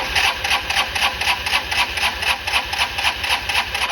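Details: Honda Elite CH150 scooter, sitting a long time, during no-start diagnosis after a starter adjustment: even whirring crank pulsing about four times a second; the starter spins the engine steadily, so the starter circuit works.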